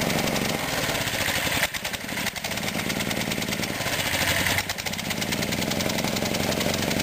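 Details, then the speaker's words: 1959 Briggs & Stratton 8 cu in 3 hp engine with 110 V electric start, running on old gas and needing a tune-up: single cylinder chugs but sags three times in seven seconds; uneven running, owner blames old fuel and tune. "it has old gas in it so it doesn't really run the greatest I need to tune it up but it runs okay"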